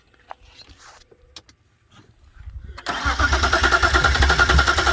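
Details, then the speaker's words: BMW 328i that the owner suspects has wiring issues: quiet at first, then steady cranking from about three seconds that never catches into a running idle. It cranks but won't start; the cause is unconfirmed. "It turned over and died. Yeah. Come turn over again. Turn over. It turned over and didn't crank."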